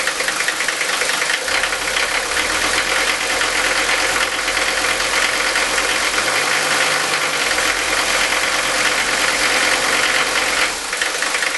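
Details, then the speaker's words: Mercedes-Benz 5-cylinder diesel with worn injector nozzles, before Bosio nozzle replacement: runs rough at idle with a harsh rattly knock, sounding like ball bearings inside, like a GM 6.2 L; diesel injector knock. "I want you to hear the knocking now not only is this engine running rough as you can see it also sounds like there's ball bearings inside there"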